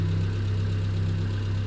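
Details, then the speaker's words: Triumph Spitfire with a rebuilt engine and no cooling system fitted: a smooth, steady idle around 900 rpm with an even low beat and only a faint valve tick. Normal idle, though it starts steaming. "Wow. Engine sounds absolutely sweet. About 900 RPM."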